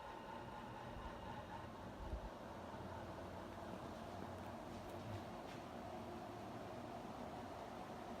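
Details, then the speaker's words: 48-inch Evergo 4E-3LW ceiling fan from the early 1980s at full speed, heard from right underneath: steady rushing air with a soft low propeller-like thrum. "this thing is absolutely hauling ass right now got a really cool sound to it when you stand right underneath it kind of reminds me of a plane propeller or a helicopter that's just cranking out air"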